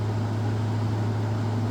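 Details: Frigidaire FFRA0511R1 5,000 BTU window air conditioner (title says 2017, owner says 2014 Electrolux-built), bought used without side panels, fan only on high: steady even low hum with smooth airy rush, no rattles or ticks; normal fan operation.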